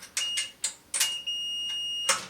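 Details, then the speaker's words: GE dryer that won't heat or start, continuity check on a fuse: several quick high beeps then a long steady multimeter tone; fuse has continuity, not the problem. "and that one has continuity still so that's not the problem"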